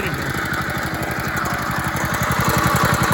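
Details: Dumpster go-kart engine running fast on fuel after the carburetor was refitted. A rapid, slightly uneven knocking rides on the firing beat: rough main bearing rattle from a dry, previously seized bearing.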